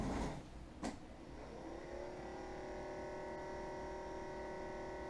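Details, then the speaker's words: Coleman 12 V thermoelectric cooler model 5640 after fan motor replaced with Mabuchi RS-365SH, reassembled: steady even whir, clean hum, no rattle or scrape; runs normally, slightly louder than before, likely the stronger motor. "not too bad. Maybe it's just louder because the motor's stronger than the old one was and I got used to it not making any noise."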